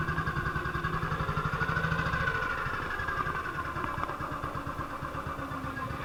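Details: 1958 BSA C12 single on a road test after its misfire was fixed: an even, steady beat pulling cleanly with no missed firing strokes. It is running as it should and sounds like it used to.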